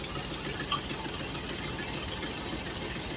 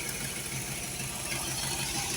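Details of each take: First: Engine running steadily after carburetor rebuild, with a sharp hissy puffing over the idle from an exhaust leak still present; no fuel leaks found. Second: Holley 4412 carburetor after rebuild with homemade gaskets, throttle cable left off: steady, even idle with a smooth beat and no knocks or misses, light hiss in background, exhaust leak still unfixed, no fuel leaks seen; normal idle.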